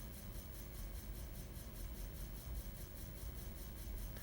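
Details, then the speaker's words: Old floppy disk spinning in a computer's drive, started by an assembly command, gives a quiet repeating shh-shh-shh about five times a second: the disk rubbing against its degraded, discoloured inner sleeve lining, shedding magnetic material onto the drive heads. "If you listen quietly (I'll be quiet here) the disk is not making just a steady quiet sound, but it's actually making like a repeating SSH-SSH-SSH-SSH sound."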